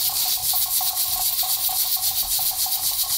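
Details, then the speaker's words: Pressure canner up to pressure, its regulator weight rocking about three to four times a second and venting a puff of steam on each rock; normal, heat to be lowered slightly to avoid violent rocking. "you can see that the pressure regulator has started rocking. It might actually be hard to hear me over the noise of it. It's kind of noisy. You can hear each time that it rocks, it lets a little bit of steam out."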